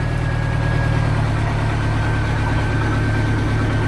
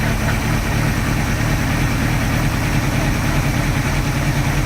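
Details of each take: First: 1986 Sea Ray inboard engine idling just over 500 rpm after reinstallation, with compression found good: steady, low, even rumble with no misses or shaking; the smoothest idle since it went back in the boat. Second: 1986 Sea Ray boat engine running with water on, after a water shutter in the exhaust was found to cause an earlier noise: low, uneven idle thump with a faint steady tone; rough idle, compression check planned, cause not found.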